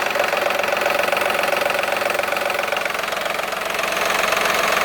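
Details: VW Polo 9N3 idling with a strange noise: a fast, even tapping clatter riding over the engine.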